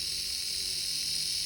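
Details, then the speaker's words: Lima class 50 model locomotive motor, a former non-runner, bench-tested on a battery after oiling the bearings: steady, even high-pitched whir with no stumbles or scraping, running freely and smoothly. "look at that that is running like a Swifts Swatch beautiful like I said bomb prooof these things really"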